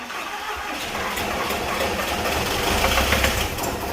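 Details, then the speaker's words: VW T4 van, first start after complete engine replacement for blown head gasket, fuel pump slightly adjusted: catches quickly after cranking and settles into steady diesel clatter, no misfire or knock. Normal start and idle. "so as you see that's now started up I did have to adjust it ever so slightly the fuel pump because it was ever so slightly out but happy happy"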